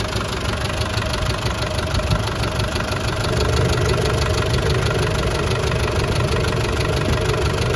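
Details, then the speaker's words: 1988 Land Rover 110 with 300Tdi turbo diesel, idling: faint quick light tick over steady diesel clatter from the rear upper end; owner suspects cylinder 4 may need a valve adjustment, unconfirmed; clean oil, no blow-by. "There does seem to be a slight tick the back of the engine. Sounds like it's coming from the upper end, not the lower end. Maybe cylinder 4 could use a valve adjustment, maybe."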